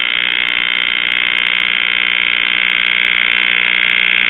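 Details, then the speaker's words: Circa-1938 portable Emerson tube radio under repair, powered up with the antenna on clip leads: a steady high-pitched squeal with no stations received; the set is oscillating. "no stations just a bunch of [Applause] [Music] oscillations"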